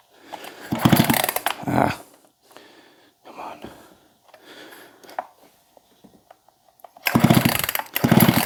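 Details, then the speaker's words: Husqvarna 262XP chainsaw, just cleaned and pressure-washed, choke on, air filter off: short pull-cord cranking bursts, no catch or firing; checking for spark, and owner suspects moisture from washing; no start. "okay we've got chokes on here we go should have fired should have fired by now well let's see if it's getting sparked"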